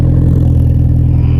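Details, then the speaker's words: High-mileage AP2 Honda S2000 F-series engine with aftermarket exhaust of unknown brand, first run after stolen-parts auction: raw, raspy roar at high revs, coarse flat tone likened to a SOHC Civic; loud harsh exhaust. "That sounds like your single overhead cam Civic. Ooh, that hurts, man. This is an F-Series motor."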